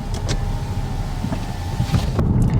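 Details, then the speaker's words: Audi 8V S3 driven over road after sunroof rattle fix, windows closed: only low road rumble and a window motor, no creaks or rattles overhead; cabin quiet, noise had been the sunroof. "Okay, so not even kidding, this car has never been this quiet. Any and all interior noise I had was definitely that sunroof."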